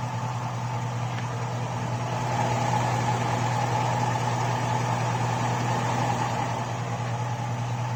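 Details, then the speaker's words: Hot 5.3 LS V8 in a 2002 Chevy Avalanche idling after a drive on an 89–90°F day, 5W-30 synthetic oil; light quick ticking tracking engine speed from stock GM hydraulic lifters, third set in two years, noisiest when oil is hot and thin. "got in there three different kinds of lifters now and that's when they get their noisiest the hotter it gets the hotter the oil gets the thinner the oil gets the more you hear them"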